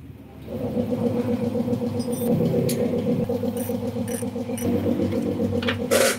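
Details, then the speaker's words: Yamaha Jupiter Z motorcycle engine from start-up: uneven rapid knocking about three to four per second over the engine hum, from the connecting rod, not the clutch as some suspect; connecting rod knock. "Selamat siang teman-teman di sini ada satu unit jupiter-z yang bunyinya itu kalian udah denger tadi di awal dan itu gejala suara dari stang seher nya"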